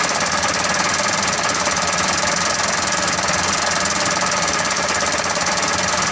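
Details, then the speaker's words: Mitsubishi Canter 125 diesel hard to start: harsh, uneven clatter with heavy knocking, won't hold idle and dies; injection pump to be adjusted. "dan mobil tidak mau lagi langsam langsung mati kita akan mencobanya untuk menyetelnya terlebih dahulu"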